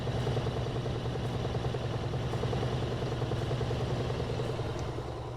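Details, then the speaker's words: Frigidaire laundry center washer, model FGX831FS5, with an intermittent no-spin complaint; belt and transmission shown spinning up faster to extract water, steady low hum with even fast pulse, no knocking or scraping; normal spin. "we can see the belt spinning can see the transmission spinning it's going to go faster and faster get all the water out looks good"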